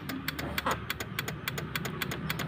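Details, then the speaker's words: Yamaha Mio J scooter, ignition on, starter pressed: rapid sharp ticking about six a second with no cranking; the starter motor is judged worn and due for replacement with a genuine Yamaha unit. "kita akan tes dulu sebentar yo yo Sorry joget Nugini kuncine dimaksud kontak on kita starter dan disini"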